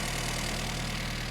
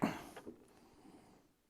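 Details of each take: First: 1975 Mini Clubman estate with an engine stored 12 years, after firing order correction: steady low even idle with regular firing beat and no knocks; runs acceptably but still needs tuning. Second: 1975 Mini Clubman estate, parked 7 years, with an engine stored 12 years: quiet cranking, then it catches and runs roughly, spluttering and popping unevenly after less choke; owner suspects plug leads in wrong firing order.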